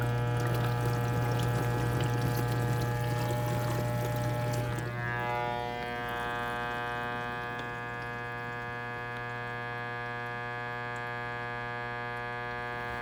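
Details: KitchenAid KDTE104ESS1 dishwasher during wash: water sloshes, then a steady low electrical buzz holds at one pitch; cause not found.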